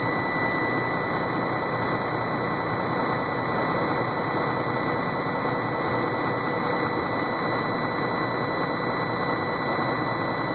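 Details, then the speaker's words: Sterling roll-off semi, cold start in freezing weather, frozen up and hard to start: steady high-pitched buzzer over rough diesel idle, the automatic shutdown warning (truck shuts down every ~30 seconds) until override button is pressed. "Sorry for the buzzer, I'm trying to get it shut off here. I gotta hit the override."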